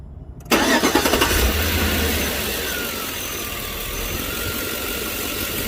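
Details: 2005 Chevy Tahoe after replacing a leaking vacuum line. It had shaken while driving and flashed the check engine light. Quick crank, catches cleanly, settles into an even steady idle with no stumble, shake or hiss; normal idle, shaking gone.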